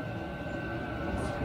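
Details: Cheap eBay Chinese 5 kW diesel air heater, newly installed, warming up: steady blower whine over soft even combustion rumble, no pops or stuttering. Normal running.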